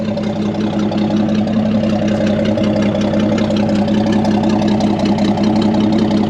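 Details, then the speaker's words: Chevy C30 pickup off the road since 1978, inline six, first run: smooth, even, tappy idle with no knocks or misses; good oil pressure, charging, and the belt flaps slightly; healthy. "Sounds like a tippy-tappy little inline 6. Belt's swinging apart a little bit."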